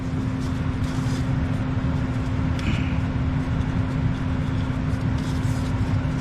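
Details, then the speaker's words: Furnace after replacing a fried thermostat that had stopped it turning on: steady low hum, even drone, no rattles or surging; it runs normally and shuts down like it should. "Yep. Yep. Yep. Yep. Yep. Everything's shut down like it should"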